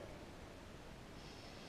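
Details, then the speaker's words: Moen kitchen faucet replacement, water supply turned back on slowly to avoid water hammer: a steady, even hiss of water rushing as the drained pipe refills, with no bangs or knocks. This is normal. "If you hear water rushing still, that's fine. Nice and slow as the pipe refills itself."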